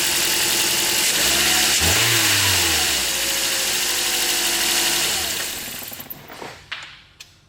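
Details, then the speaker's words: 2009 Toyota Corolla LE, 2ZR-FE four-cylinder, 106,000 miles, after servicing the belt tensioner without replacing parts: engine starts and settles with no shrill chirp or squeal from the belt; the start-up squeal is gone. "no more squealing squeaking everything's fine and we didn't even have to replace any parts"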